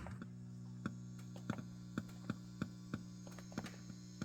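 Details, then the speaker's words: Fender Vaporizer tube amp: a steady low mains hum with faint, irregular clicks, passing almost no signal because a preamp tube is blown. "uh you can hear the amp humming and it is passing a little bit of signal but that's just really amp hum"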